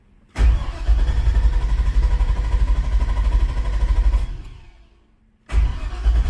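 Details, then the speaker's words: Elco after a cylinder head replacement and a charging fix: the starter cranks steadily about four seconds, stops, then cranks again, and the engine never catches; no fuel pump priming is heard at key-on, and the owner suspects too much wired to the battery positive terminal. "yeah i'm not getting the fuel pump so check that and see what's going on because if you listen you usually want to turn the key you should be able to hear it priming right now there's nothing"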